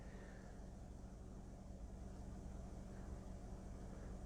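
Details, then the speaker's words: Mazda 2 1.5 L gasoline TS2 engine after cleaning the mass airflow sensor: quiet, even, stable idle with no hunting; RPM and MAF rate steady, fuel trims okay. A dirty MAF sensor had caused the fluctuating rough idle. "The engine RPM didn't change. The mass airflow rate is very steady. It doesn't go up and down."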